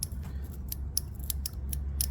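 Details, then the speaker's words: 2001 Suzuki TL1000R fuel injector, removed from the rail and bench-tested on a makeshift harness to a power supply: crisp, sharp ticks each time power is tapped on and off, over a low hum. It is firing electrically, though it could still be clogged mechanically. "I don't know if you can hear that, but that means the injector is firing electrically, I should say."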